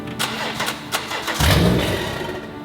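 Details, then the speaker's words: BMW 118i with a B58/M140i engine conversion, on its first start attempt after the fuel pump was connected: the starter drags through labored cranks over music before the engine catches. The owner suspects a very dead battery. "I think the battery is so dead I've got a lack of power boost in the back"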